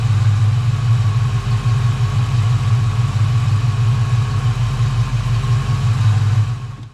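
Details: 1990 Mustang GT Fox-body with a five-speed, after a transmission swap and distributor work, idling while timing is set: a smooth, even low idle with a steady rhythm and no miss or stumble; runs nicely, normal idle.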